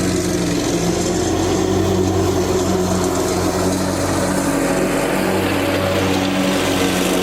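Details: Lawn tractor after fitting an electric fuel pump to fix a fuel problem, while mowing: steady, even drone with no surging or dying under load; normal running under load.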